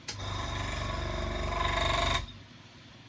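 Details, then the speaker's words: Older airbrush compressor, compared with a new Gaahleri Apex Force: rapid, even chatter about four beats a second, rough and clattery as pressure builds, then cuts out; owner feels it is on its way out. "And you hear at the end there, as the pressure builds up, it sounds like it's on its way out."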